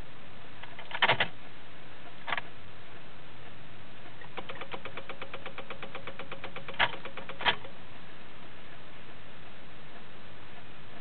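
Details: 2006 Honda Civic won't start: burst of fast, even ticking when key is turned, no crank or start follows; cause unknown.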